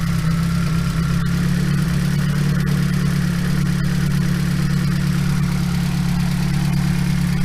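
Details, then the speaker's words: Nissan S14 240SX with an SR20DET just reinstalled, first start, not yet warm, fuel pressure good: a steady idle with light, fast ticking. Lifters are still loud; the owner suspects air got into them after priming. "everything's kind of rattling, so. Lifters are definitely still a little loud."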